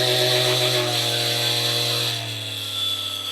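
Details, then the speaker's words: Ryobi cordless polisher after replacing the gearbox grease, battery held to stop its rattle: clean steady motor whine easing to a lower even tone, no grinding; gearbox running smooth and much quieter. "I'm going to hold the battery this time while we let it run so we don't hear that that noise 3,000 38 48 58 68 75 man this thing is rning so"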